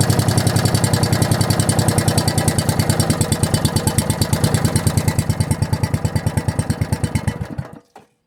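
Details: Log splitter single-cylinder engine with a newly installed carburetor and muffler, test run after starting on the second pull: even, quick, steady thumping for several seconds, then a clean cut-out. Sounds healthy.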